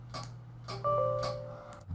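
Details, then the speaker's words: Original hard drive from a 2007 20-inch iMac (A1207, Core 2 Duo) that showed the flashing question-mark folder, tested in an external rig: sharp regular clicks about every half second over a faint spin hum. The drive is failing and was switched off. "i don't think we're gonna have any success with this drive it's clicking no no i'm gonna turn it off before i do any more damage this drive is done"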